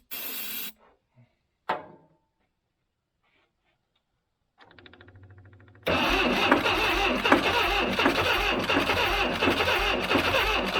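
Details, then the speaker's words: 1976 Broderson IC70 crane engine, abandoned several years, fuel tank cleaned: cranking on starting fluid with sharp regular detonation raps about four per second; needs a new starter. "you could hear it detonating with uh starter fluid like that it just needs a starter they said"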